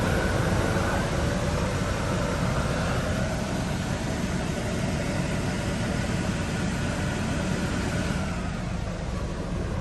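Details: Truma Aventa roof air conditioner on a towable RV, fan running on high with the air direction adjusted: a smooth, steady airy rush with no ticks, rubbing or wobble in pitch; normal operation.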